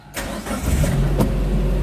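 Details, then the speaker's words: 2013-built Suzuki Carry Futura 1.5 pickup with about 53,000 km, start from the cab: brief crank, then it catches at once and settles into a low, steady idle with no misses; the engine is described as smooth. "Nah, mesinnya halus ya."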